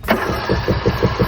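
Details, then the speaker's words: Craftsman LT2000 mower, 19.5 hp engine, sat about 2 years: starter churns about six even compression pulses per second but the engine never catches; owner blames the carburetor and plans to replace it with a new kit. "it it doesn't catch doesn't want to catch on it so um I'm going just change the whole corporator"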